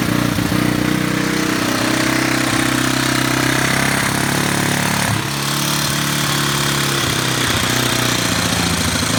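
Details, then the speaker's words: Warrior single-cylinder with about 1–1.5 hours on the motor, after valve adjustment for tapping (tensioner suspected, maxed out), no fuel tank fitted: idles a bit fast but steady, faint tick, oil smoke cooking off; normal idle, much less rattle. "That definitely sounds better. That smoke's just it cooking off that burn oil, that non-burn oil. I think it was idling up because it's out of gas because there ain't no tank on it. But definitely ain't rattling as loud. It runs good."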